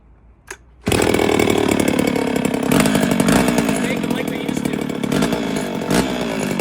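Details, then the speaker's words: 1972 or 1973 Pioneer 1200A chainsaw, not run in decades, with its carb rebuilt, new fuel lines and filter, the original plug, and 2-stroke oil put down the plug hole: after a short pull it catches and holds a fairly steady, raspy two-stroke buzz. "So all I did was fire it up until it fired, and that's it. So we'll see if she starts here."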